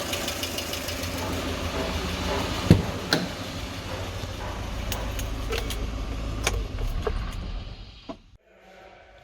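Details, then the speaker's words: 2020 GAZelle Business van, UMZ-4216 Evotech 2.7 aluminium block, 823 km, heard from outside at idle: sharp ticking a couple of taps a second that stops at shutdown, one noisy hydraulic lifter, knocking at idle and at revs. "проблема стук стук гидрокомпенсаторов короче давайте запустим послушаем какой-то один гидрик постукивает как на холостых так и на оборотах"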